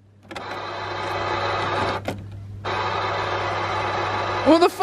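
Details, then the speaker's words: BMW central locking going crazy on its own: door lock actuators buzz in runs of about a second and a half, a short gap, then again, cycling without command; turning the key a few times stops it. "the doors at the back were what the [ __ ] my central locking is going crazy the [ __ ] what the"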